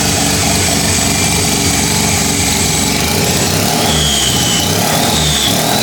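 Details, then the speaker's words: 13B turbo rotary in replica Lamborghini Diablo after timing adjustments, run briefly with no coolant: catches and settles into buzzy, slightly uneven idle with light blips, very smoky; running normally. "that's it's starting to come more alive as well but we don't want to run it for too long cuz we have no water in this thing whatsoever but that's sick very smoky"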